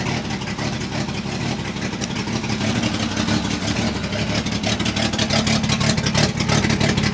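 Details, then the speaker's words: 1966 International 1200A pickup, warming up, running essentially open header with half the muffler on the ground: a loud, raspy engine note with a sharp crackling bark and strong low rumble. Exhaust leak from the broken muffler. "the exhaust the exhaust leak has gotten worse the half the muffers on the ground my neighbors are going to hate me"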